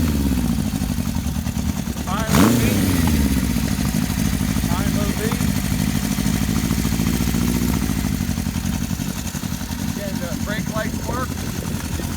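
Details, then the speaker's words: 1973 Honda CB750 four-cylinder, just restored with mild custom touches and new throttle cables, starts easily; quick blip then even, smooth steady idle with no knocks; healthy. "But this bike starts easily and runs really well, which I'll show you."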